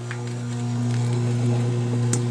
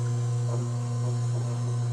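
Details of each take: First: Frigidaire washing machine that would not drain, drain pump removed and bench-tested after a resistance check: a steady low electric hum with a faint buzz as the pump vibrates and spins freely; normal drain pump running. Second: Frigidaire washing machine that won't drain, on the spin cycle: the drain pump gives a loud steady low mains-pitch hum with no pumping or water sounds; the pump gets about the right power (120 V, ~1.2 A), so the pump is suspected.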